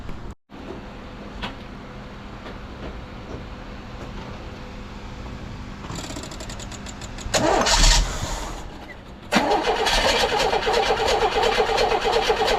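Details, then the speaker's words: 1982 GMC S-15 pickup after the starter, found held by only one bolt, was refitted: a few seconds of quiet, then a short, clean crank with no grinding, and the engine runs steadily. Drastically improved, though the owner thinks it could still use a shim. "Starter sound is fixed. I think it still could probably use a shim, but you could hear the difference. It's drastic."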